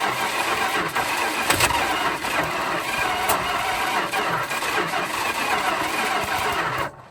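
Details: 1974 Dodge Monaco police car, police 440 V8 sat for years: rough churning crank with a few weak pops that never catch, engine turns over without starting, then cuts off. Cause unconfirmed.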